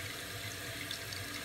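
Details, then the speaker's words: Toilet tank refilling after the water supply is turned back on while diagnosing a running toilet: a steady rushing hiss with no sputter or whistle as the float rises to shut off at its set level. The fill valve passes water normally. "once it hits the level you set for it it'll kill the water right there"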